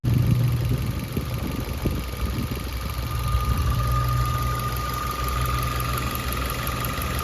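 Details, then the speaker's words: 2021 Maruti Ignis petrol, about 20,000 km, idling with the bonnet open before repair: a steady thin whine over an even idle, louder in the engine bay. The cause was a failing water pump bearing, later located by stethoscope and fixed by replacing the pump. "Bonnet തുറന്നു കഴിഞ്ഞിട്ടുണ്ടെങ്കിൽ നല്ലപോലെ sound വരുന്നുണ്ട് കേട്ടോ ശ്രദ്ധിച്ചു നിന്ന് കഴിഞ്ഞിട്ടുണ്ടെങ്കിൽ"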